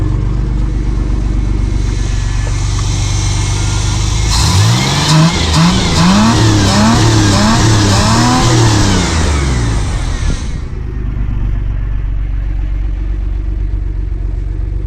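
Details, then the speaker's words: 1979 Pontiac Firebird V6, revived after sitting for years: idle rumble then quick repeated blips about four a second, revving freely and cleanly; normal revving, just clearing cobwebs. "Yeah, she just needs to have those cobwebs cleared out."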